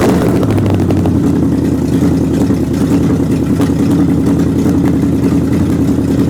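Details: Old engine on a test run after fitting alternator and fan belt and radiator hoses, and fixing exhaust bolt leaks, testing the water pump; steady even running with a low constant note. The owner notes some remaining popping and missing, suspected to be the carburetor gasket.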